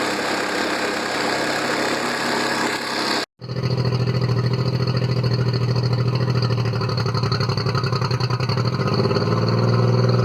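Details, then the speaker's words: Circa-1999 Mercury 40 hp four-stroke outboard, three carbs, previously rough-idling after sitting, after carb sync with CarbTune Pro: smooth, steady idle after a short cutout, even low pulse at a slightly high rate; running a lot better. "I think I'm going to have to take it out for a spin and see how it goes, but I think it's running a lot better."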